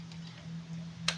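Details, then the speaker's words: 2016 KTM Duke 200 fuel pump priming at key-on after replacing the fuel pump hose (no-start, power loss, stalling fault): faint steady hum with light clicks as the regulator gauge rises; normal priming. "so titignan natin ngayon kung meron na bang pressure na nagpapakita dito sa ating regulator"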